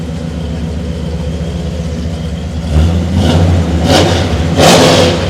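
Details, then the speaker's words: 1976 K20 squarebody 3+3 crew cab lifted 4x4, 496 big block (just under 500 hp, AFR heads, Quick Fuel carburetor): even deep lope at idle, then crisp throttle blips rising and falling cleanly; normal start and rev. "Again, you heard it, sounds good, runs good, operates good. It's a great truck."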